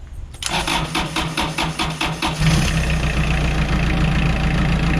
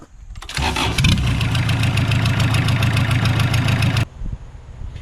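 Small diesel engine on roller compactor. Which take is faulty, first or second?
second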